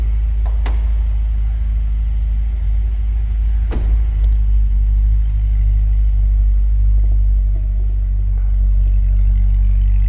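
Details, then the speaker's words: 2007 Chevrolet Corvette Z06 with the 7-liter LS7, 6-speed manual and K&N intake. A deep, throaty V8 exhaust rumble with sharp barks on the throttle, smooth underneath. Healthy exhaust note. "Nice deep throaty exhaust note. Sounds a little menacing actually. Sounds good."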